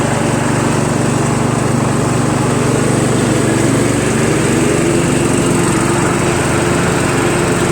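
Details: Troy-Bilt Pony lawn tractor with mower deck/PTO engaged, running after hole drilled out to stop surging: steady, even drone holding speed with blades turning, no hunting; normal running under load.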